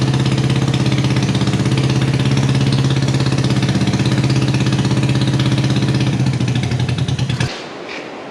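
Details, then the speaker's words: Honda CB360 twin, salvage-yard bike just revived: fast even low thumping idle about three pulses a second, then shuts off; runs cleanly and steadily. "it lives it sounds meaty as hell she's throaty dude"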